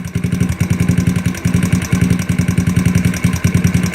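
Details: GY6 scooter carburetor, idle screw being loosened during idle tuning: slow, lumpy putting about two firings a second, uneven and nearly dying. Idle speed too low, idle screw backed off too far.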